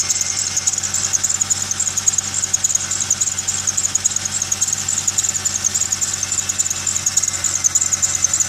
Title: Video of squeel/chirp noise